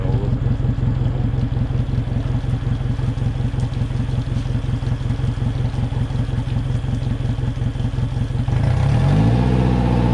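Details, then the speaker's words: Hurricane-salvaged 2021 Suzuki 150 outboard after a fuel system fix, revved hard in neutral against the rev limiter near 3,000 rpm: it pulses about three times a second as the limiter cuts in, shuddering and bogging. "I also found out that there's a rev limiter so I couldn't um in neutral get the motor to rev much higher than 3,000 RPMs um that's when it was shaken and bogging down"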